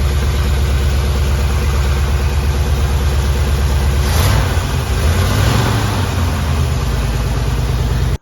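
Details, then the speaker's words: Chevy Nova engine rebuilt after two pistons were installed backwards (slapping), loose rocker then tightened and readjusted: steady, even idle with one throttle blip and no top-end tapping; noise gone, normal. "all right so the motor's not making a noise anymore I couldn't be happier about that"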